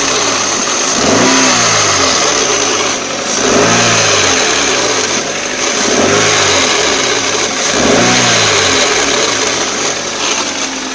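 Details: 2004 Toyota Corolla CE manual, clutch at 146,000 miles, cold start in neutral with clutch pedal released: steady gear-area whir with pulsing rise and fall about three times a second, gone with pedal pressed or after warmup; throwout bearing suspected, transmission unconfirmed.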